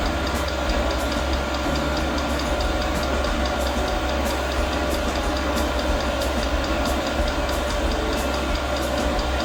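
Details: Newly mounted portable all-in-one diesel air heater, first start at maximum power, about 40 seconds in: steady fan roar with the fuel pump ticking about twice a second, and no burner catching. The first ignition fails, followed by a shutdown cycle and white smoke outside.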